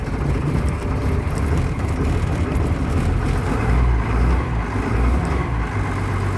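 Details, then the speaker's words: Bus diesel started after about two and a half to three weeks sitting, after glow light, throttle pulled up slightly; deep steady rumble at slightly raised idle, even and unbroken; normal running after sitting. "if you like this short video of me just firing up the bus after two and a half weeks close three weeks give me a thumbs up"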